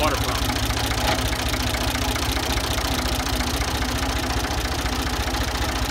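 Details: Ford 2000 diesel tractor with bad injectors, running on Diesel Purge: rough idle with an uneven rattling knock a bit over twice a second. Diesel knock from the faulty injectors.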